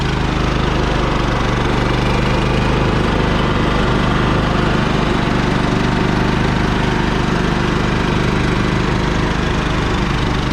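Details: Champion 3500 portable generator with remote start installed in compartment of a 1990 Fleetwood Bounder RV, cooling fans running again after thermal cutoff reset; steady, even mid-pitched engine drone with fans whirring, no knocks or surging — normal running.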